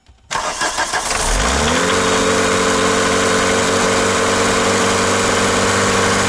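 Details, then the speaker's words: Old VW MK2 diesel, running without the lift pump line: catches after a short crank and settles into a steady but rough clatter, with smoke from the exhaust manifold and tailpipe; the injector pump is suspected faulty. "okay so it runs without the lip line the only problem is got some smoke coming off the exhaust manifold plenty of smoke coming out of the pipe let's listen to that [ __ ] that sounds like [ __ ] h"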